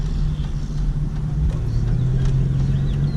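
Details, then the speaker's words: 2001 GTP, 145,000 miles, while driving: steady low drone under road rumble, louder turning right, heard from front right; owner suspects a front right wheel bearing. "But it needs a front, I believe it's a front right wheel bearing, because when I turn right, it hums from the front right. It even does it when I'm just driving."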